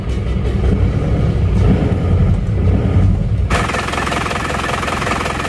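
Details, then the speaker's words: Isuzu Panther diesel idling rough, sounding weak under throttle, with thick exhaust smoke. Uneven, loping thump as one cylinder underperforms, found by cracking injectors one at a time: misfire from low injector pressure, about 130. "jadi ini pincang mesinnya pincang"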